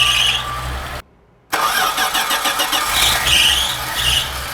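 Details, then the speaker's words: 1980 Dodge D150 truck with a freshly rebuilt carburetor and new fuel filter: engine cranks raggedly, cuts out, then catches unevenly while fuel is still filling the float bowl. "bowl still might be filling the bowl up it does that it just dies"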